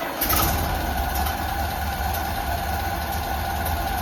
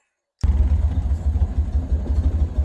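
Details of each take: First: Ford Model A (1930) with freshly rebuilt Zenith carburetor, first start after installation; fast, busy idle with quick even firing, idle speed set too high, backed off with the idle screw. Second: Ford Model A (1930) with newly rebuilt Zenith carburetor, idle screw backed off from slightly high: slow, even low putter with steady firing pulses, no misses or knocks; idling smoothly.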